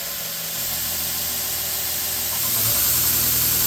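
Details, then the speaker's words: Torus CNC 2x72 grinder M-90-AL, 1 hp Techtop motor on a KBMA-24 VFD, switched to the opposite direction, belt running away from the user: steady even belt hiss and low motor hum rising with speed. Running smoothly. "And now I'll flip it in reverse, or actually forward on here, but it'll be rotating the belt away from you at this point now."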